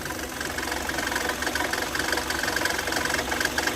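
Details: Kia Sorento engine bay: shrill, stuttering chirp-squeal breaking in and out at steady idle when water is poured on the accessory belts; owner reports noise and battery warning light whenever driven in rain or engine wetted. Serpentine belt slipping when wet.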